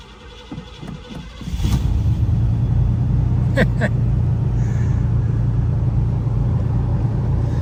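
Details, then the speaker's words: Old crew cab Buick wagon, new battery fitted after sitting about a month: a few slow cranking pulses, then the engine catches and settles into a steady low idle. "Let's see if it starts. It's only been sitting for a month."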